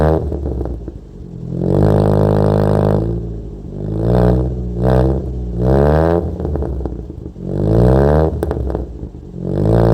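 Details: Toyota Corolla with high idle, after changing distributor ignition timing settings: revs rise and fall with a ragged, uneven note and no power, judged undrivable; owner still suspects the throttle body.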